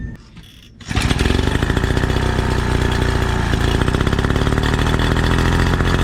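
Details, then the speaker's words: 1936 Johnson Seahorse 200 outboard after fixing the fuel mixture. It fires and settles into a steady, even buzzing run with no stumbles for about ten seconds; the off mixture ratio was the cause. "That was it. Fuel mixture ratio was off. Yeah. She had fuel. Hell yeah. She's a thirsty gal. But yes, she runs. She runs good."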